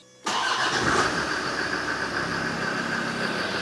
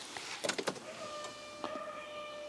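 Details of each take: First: Land Rover Defender diesel after EGR valve blanked and engine sound protection fitted: starts at once, steady even idle with light clatter, no misses; seems to run nicer; fuel pump noise known separately. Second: Land Rover Defender after EGR blanking, key on: a few clicks then thin steady constant-pitch whine from the loudly priming fuel pump, a known problem needing fixing.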